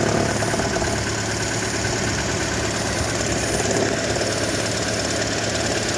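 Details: 2012 Toyota Prius petrol engine idling with a rough, heavy rattle over its steady running, coming and going intermittently; cause unknown, owner asks what it could be.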